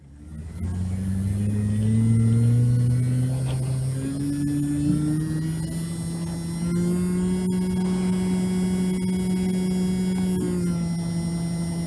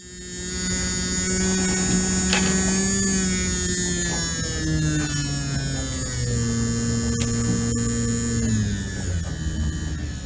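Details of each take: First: Spindle motor of a JVC Victor XU-D400 Mk II MD combo deck, previously dead and revived on a bench power supply, now quieter, hums at a steady even pitch holding stable speed at 4 volts; normal spindle motor speed. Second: JVC Victor XU-D400 Mk II MiniDisc deck spindle motor revived on bench supply, voltage lowered from 6.5 to 3 V; thin motor whine sagging as it slows with a gritty rasp underneath; dry spindle motor bearing needing lubrication.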